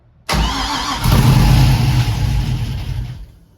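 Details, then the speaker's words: '61 Comet with LS swap and Haltech ECU, second start after first start in 26 years: brief crank, catches at once, flares then drops to an even idle before shutdown; oil pressure came up, sounds healthy. "all right I'm happy it sounds healthy"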